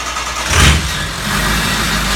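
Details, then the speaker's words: Ford 6.0 diesel truck with no power to the fuel pump (suspected bad fuse-panel circuit breaker/relay): catches within half a second into a steady idle only while the pump is powered manually by button; shuts off when released. "But if I manually turn the fuel pump on and then fire the truck."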